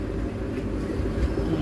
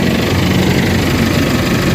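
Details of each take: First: Isuzu MU-X diesel after transmission removal and clutch repair: steady low rumble with no clicking or grinding as the clutch is released in neutral and through the gears; previously noisy until the clutch pedal was pressed. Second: Isuzu MU-X diesel idles with a rough, rattly rumble from under the engine; the noise disappears when the clutch pedal is pressed.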